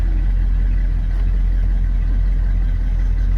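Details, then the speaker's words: 1979 Dodge D150 Lil Red Express, Mopar ignition module and ballast resistor, engine hot after driving, accessories off: loud low idle lopes unevenly; rough idle, voltage fine, cause unconfirmed before GM HEI upgrade. "if the engine's really warm and I've been driving, when I get back to wherever I'm going, this is how it even runs without all these accessories on."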